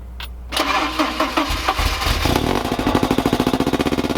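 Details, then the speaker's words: 1986 Porsche 944 abandoned since about 2006, weak battery, starting fluid used: cranks briefly, catches, settles into fast slightly lumpy pulsing idle through aftermarket stainless exhaust; runs rough after sitting. "There you go, it runs. It's actually got an aftermarket exhaust on it of some sort."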